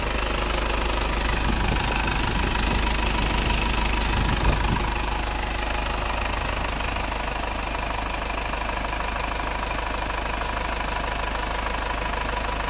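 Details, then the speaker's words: Circa-1997 Isuzu Panther 2.5 diesel that idled rough and shook, after cooling-system overhaul and fitting a thermostat: steady idle with even, regular clatter, no hunting or shaking; rough idle now fixed. "Panther dari Malang ini kemarin hidupnya goyang banget ya stasionernya pincang-pincang goyang-goyang sekarang sudah selesai"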